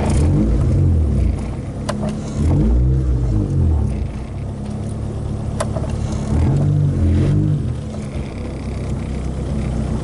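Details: Honda Civic with recently fitted polyurethane control arm bushings, a fresh alignment and a lower-mileage swapped transmission: revs rise and fall with a sharp single pop or clunk on pedal press and on lift-off; source unknown, bolts checked tight.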